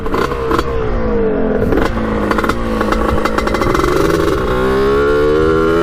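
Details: 1989 Kawasaki KX125 two-stroke on its second ride, needle moved to run leaner and air filter off: revs climb then stutter and fall back unevenly near the top; still breaking up at high rpm, cause unknown.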